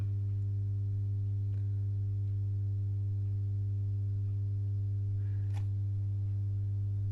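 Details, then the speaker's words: Masco M25N valve amp, poorly re-capped, on current limiter, bulbs dim: loud steady unchanging low hum, nothing playing; possibly a filter cap missing; mains hum from insufficient filter capacitance. "the one that's not been recapped that really is noisy and I'm not sure if there's not a cat missing unless that is one for the screens that they've put on there but that is a might noisy"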